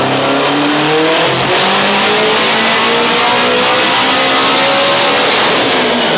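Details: Honda Civic Type R with Precision 6466 turbo on a Mustang dyno, boost turned up, run after an earlier tire spin; engine climbs smoothly through revs at full throttle without stumble or flare, normal full-throttle acceleration.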